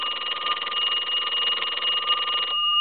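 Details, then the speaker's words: Repaired telephone (box chest deco tel) on final checkout after a ringing problem: bright steady bell ring about two and a half seconds, stopping cleanly; ringer works properly, though bells less liked than 2500 set's. "i'm not a real big fan of these bells here i like the bell that was in the 2500 set but these bells were sufficient they just weren't like the 2500"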